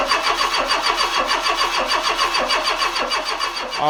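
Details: Renault Trafic MK1 van after a swap to a 2165cc 2.2 engine, first crank after priming the fuel pump: rapid regular starter turning for about four seconds with no firing or pickup; cranks but won't start, likely no pressure in the fuel rail.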